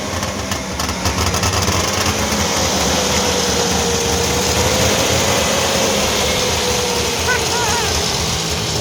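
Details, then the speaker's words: 1958 DKW pickup, front-wheel-drive three-cylinder two-stroke on premix, first start in a long while: busy crackly snowmobile-like buzz, even beat at idle, no knocks or misses; runs healthy. "it's quite a interesting unit when it's running it sounds like a snowmobile"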